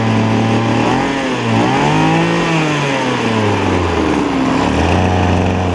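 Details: Hot 26.5cc two-stroke that had no compression from a scratched piston, now filed down and running. Small buzzing engine revs up and down with a metallic beating rattle over it; confirmed on inspection as centrifugal clutch rattle.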